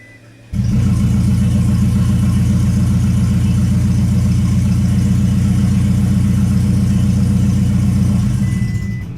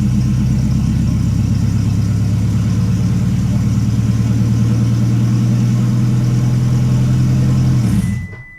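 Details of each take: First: 2008 Toyota Prius after timing chain replacement, injectors unplugged, cranking at low rpm to circulate oil: engine spins without firing, loud even unmuffled chuffing about four per second because the exhaust was left disconnected. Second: 2008 Toyota Prius after timing chain replacement, with injector connectors unplugged so the engine does not start. Smooth, even low cranking for about eight seconds with no firing, then it winds down while priming oil.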